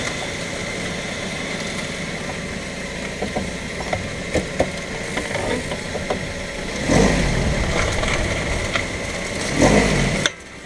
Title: Mazda 3 clicking / popping noise front end